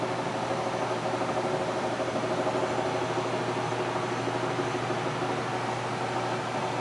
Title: Amana Furnace Making Rattling Noise